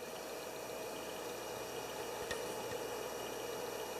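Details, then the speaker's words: Gen 2 Drobo storage enclosure after fitting a new ultra-quiet fan in place of the old squeaking, whirring one. Only the soft, even whir of spinning hard drives comes through and the fan is barely audible; running quietly and normally. "Sorry, now let's speak of the fan, and you basically can't hear it at all. I don't know. All I can hear is the actual hard drive."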